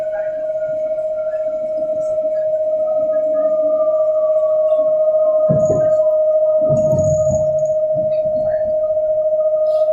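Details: London Underground Central Line train to Epping near Hanger Lane: steady mid-pitched whine holding constant over the carriage rumble and clatter; source of the tone unknown.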